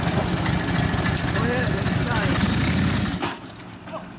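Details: 1942 Harley-Davidson WLA 45ci flathead sidevalve V-twin, after rebuild and tune-up following years of sitting: lumpy but even beat at fast idle for about three seconds, then shuts off cleanly; sounds healthy.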